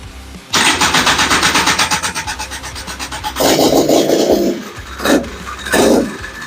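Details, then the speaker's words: Single-cylinder engine with Lectron Billetron 38mm long-body carburetor, retuned after a super-lean condition from turning the metering rod the wrong way: catches quickly without choke, settles into fast even beat with throttle blips; normal start. "started up with it and it's it's gonna fire up without the choke so let's see what's let's see"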